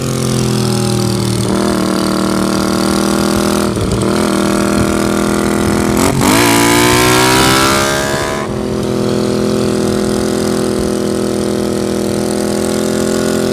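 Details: 1982 Honda GL500 twin cafe build, completed, with pod air filters; settles into a smooth, steady idle, takes a quick clean throttle blip and drops straight back; runs healthy, normal running.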